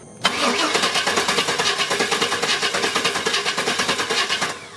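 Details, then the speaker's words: Chevy 350 Vortec Suburban, sat for years, fuel system replaced, just after new ignition coil fitted: steady cranking about three turns a second for over four seconds, no catch; crank no-start. "still no look so now I'm going to go ahead and try changing out the crank sensor I heard it's a possible sensor that may cause a non-start issue"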